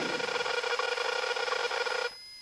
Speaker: the way what is that annoying sound it's the stall warning